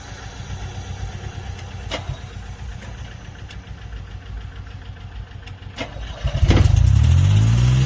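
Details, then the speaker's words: Airman PDS90 air compressor, 3-cylinder diesel with pull-to-stop shutdown, used import; restart after waiting for air to blow off: faint clicks, then diesel catches quickly into strong even run; starts easily, gauges normal. "สตาร์ทใหม่สตาร์ทง่ายนะตัวเลขก็ยังวิ่งปกติ"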